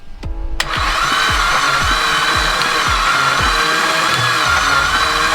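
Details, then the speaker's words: Blown Mitsubishi Evo X during a compression test, cranking with the throttle fully open. Steady cranking at about four beats a second with soft, uneven pulses. This cylinder reads 100 psi, low; others read 20 and zero psi. "okay and crank it over toss a stop sounds funny that's 100 psi a little bit low"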